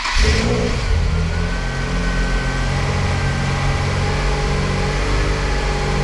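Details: Crash-damaged Nissan 350Z Nismo during rebuild, restarted a second time: engine catches and settles into steady, even run with strong low rumble, no knocks or misses; normal running after restart.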